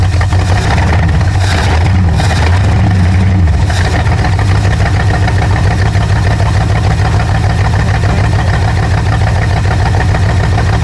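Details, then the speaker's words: Rusty 1968 Ford Thunderbird 429 big block, first firing after freeing cylinders and lashing rockers, running on carb spray: loud, lumpy idle with uneven stumbling beat, as if missing a cylinder or two; possible misfire, blamed on the carb spray fuel, not confirmed. "well it runs it definitely definitely runs sounds like there it's missing a cylinder or two but that's probably just because of the fuel there season just as carp spray it's not really the best"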